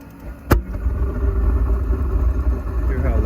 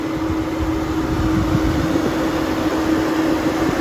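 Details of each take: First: Five-year-old Suburban NT-20SQ RV furnace failing: a sharp thump at light-off, then a deep, steady roar far louder than normal; cause still unknown. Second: 5-year-old Suburban NT-20SQ RV furnace with new burner, running about 30 minutes, clean blue flame; smooth steady burner roar, even blower hum, no popping, rumbling or flutter: normal furnace operation after repair.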